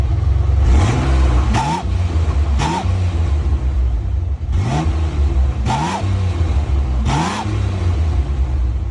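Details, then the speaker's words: 1988 Ford Bronco II (Ranger-based) with exhaust louder than usual, revved in five or six blips: each brings a thin whistle over the exhaust rumble that rises with revs. Intake was suspected first. "Yeah. So, it sounds normal until that like high-pitch noise that you hear kind of kind of like a whistle noise almost."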